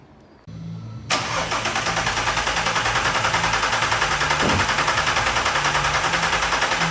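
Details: Audi TT 3.2 VR6 after timing chain replacement: the starter whirs briefly, then the engine catches and settles into an even idle with steady pulses about three per second; it sounds healthy. Normal start and idle.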